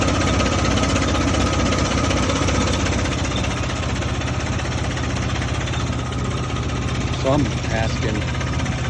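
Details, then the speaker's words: 1971 Jeep CJ5 with Buick Dauntless odd-fire V6, just bought: rough lumpy tractor-like idle with a loose regular clinking clank; owner unsure if normal, cause unknown. "There's that clinkity clank. Something that shouldn't be clanky clanking."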